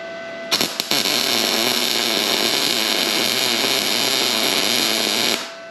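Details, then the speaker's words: Arccaptain MIG 250 welding at about 20 volts: steady, even bacon-like sizzle for about five seconds, laying a flat, evenly pulled bead; normal, well-set MIG arc. "I don't know if you could hear the bacon sizzling sound, but the weld, it's not concaved up."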